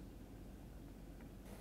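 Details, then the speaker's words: Frigidaire/Electrolux Solero (Gallery) dishwasher in diagnostic mode, test 8 wash pump, after filling water: low even hum with a soft water rush, no grinding or rattle; wash pump running normally. "We're going to run to 8. 8 is my wash pump. Then I do hear my wash pump energize."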